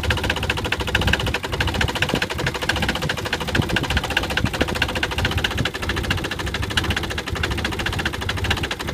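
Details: Nissan 300ZX at rough, shaky idle: fast, steady ticking knock that never lets up; rod knock suspected, not confirmed.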